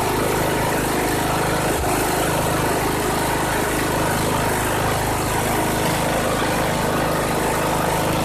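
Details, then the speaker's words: 2014 Troy-Bilt Bronco 13WX78KS011 with a Kohler 17 HP Command engine, first test fire after a new carburetor replaced one with a failed fuel shut-off solenoid, throttle cable not yet adjusted: steady, even single-cylinder drone, no misses or surging; normal running. "Awesome. Wow, that engine sounds good. I just have to get that throttle cable adjusted. Crank's good though."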